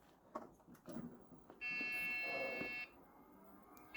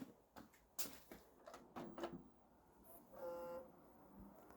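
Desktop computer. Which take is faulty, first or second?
first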